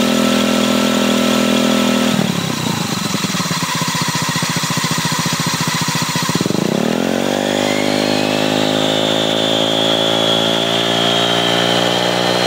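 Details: Honda Ruckus scooter, owner unsure what his variator's odd sound is: engine drops to a rough pulsing beat, then revs up with a rising whine from the belt drive: abnormal variator noise.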